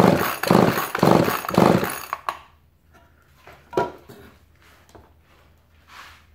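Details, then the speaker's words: Chainsaw with torn fuel line temporarily reconnected, choke on: three quick pull-cord rasps about a second apart with no firing; engine flooded, fuel visible. "Oh yeah, we're flooded. We're flooded because I can see the fuel in there."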